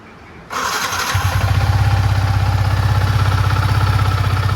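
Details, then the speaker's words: Yamaha MT-15 v1 after timing chain replacement and service (previously harsh rattling engine noise): starts promptly and settles into even, steady idle thump about four beats a second, no rattle or tapping; problem gone. "वह वाला problem चला गया। Sound एकदम मस्त पहले जैसा हो गया।"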